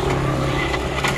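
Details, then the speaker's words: Honda Beat scooter that would not start on the electric starter, after repair: engine catches immediately and runs steady and even, no grinding or clicking; starter back to normal. "ini sudah normal lagi staternya coba tes jalankan ke sana"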